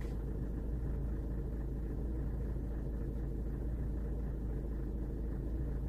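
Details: VW Golf 7th generation diesel, before repair: idle with a deep, uneven rumble and hard clatter, from injector knocking causing vehicle and rpm shake.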